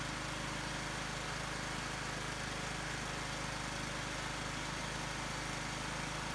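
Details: Husqvarna YT 21 HP lawn tractor, will-it-run test with choke on and air filter removed, just started: steady even low putter about 220 beats a minute, no misses or knocks; running cleanly.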